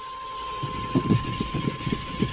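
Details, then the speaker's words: Truck with good battery that won't start: steady starter cranking with even chugging pulses about six a second that never catch; suspected fuel delivery problem, not confirmed. "so when you're starting the car like that and you hear that sound you guessed it a little bit you're out shrine okay and pump it a little bit after get some fuel flowing through there"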